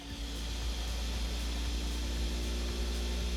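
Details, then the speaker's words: Custom 3D printer after new belts, pulleys/idlers, anti-vibration feet and new front-left homing position: rapid buzzing vibration with steady low hum and stepped tones as axes shake through the input shaper resonance calibration sweep. "All right, we've got the new homing position in the front left right over there, and as you can hear now, it is doing the input shaper."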